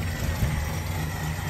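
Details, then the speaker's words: Holden HJ wagon engine revived after sitting 8 years in a shed: deep, steady, even rumble with no misses or knocks; idling smoothly. "had a bit of a play around with it this morning and she's uh banging like a champ"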